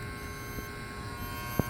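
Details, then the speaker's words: Trane TWB heat pump outdoor unit with cooling not working; steady electrical hum with faint click and no motor running, the worn contactor buzzing loudly, fuses found blown, contactor to be replaced. "so here the contactor buzzing I'm I open it up and see what it looks like inside"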